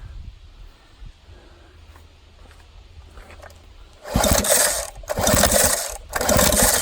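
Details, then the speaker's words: 1987 Johnson 9.9 two-stroke long-shaft outboard, old blackened plugs, compression test: three pull-start bursts about a second apart, even rasping crank; almost 120 psi; acceptable compression. "it's like a bright one almost 120 it's not bad the old two-stroke"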